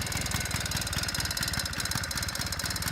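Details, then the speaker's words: 1983 Honda Express two-stroke scooter, cold and not warmed up, reed valve due for replacement: slow slightly uneven putter with raspy exhaust; idle running a bit low. "It's a little low idle right now, but like I said, once it'll stay"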